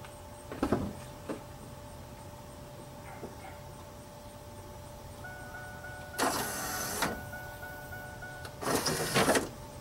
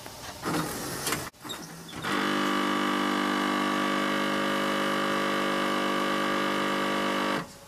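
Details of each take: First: 1997 Pontiac Firebird pop-up headlight motor after repair kit install: two short, even electric whirs, no more grinding; the grinding had been caused by two missing teeth on the gear. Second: 1997 Pontiac Firebird pop-up headlights cycling on key fob lock/unlock: rough, buzzing mechanical grinding whir for about five seconds, then stops; stripped gear in the headlight motor, fixed with a repair kit.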